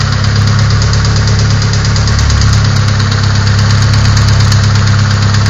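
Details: Nissan SR20DET engine at idle: rapid, uneven knocking over a loud, low idle rumble, an internal engine knock with the cause not yet pinned down.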